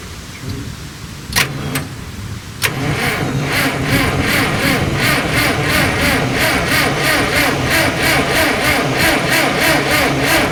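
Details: Ingersoll Rand air compressor engine, started on a jump pack with the choke freed up. A couple of short cranks, then it catches near three seconds and settles into an even thumping run, about three beats per second. Normal engine start.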